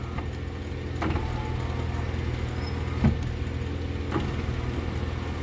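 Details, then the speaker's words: VAZ power window driven by a voltage booster at 18 V: short, quick motor whirs, each ending in a soft clunk at the stop, with the glass moving fast and smoothly up and down. "очень круто прям по кайфу отпускать и поднимать стекло потрясающе"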